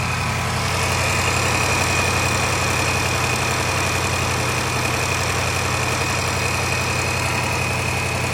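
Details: L405 Range Rover 5.0 supercharged V8 at idle: a fast, busy ticking rattle at three to four beats a second rides over the steady idle, timing chain slap from a failed tensioner.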